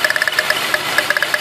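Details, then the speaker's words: 1999 Toyota Sienna V6 with misfire codes P0301/P0304: idle with one plug wire pulled, stumbling with sharp uneven ticks, audibly rough compared to pulling the dead cylinder's wire. "we're gonna remove the other one that you can see a big difference and you actually gonna hear it"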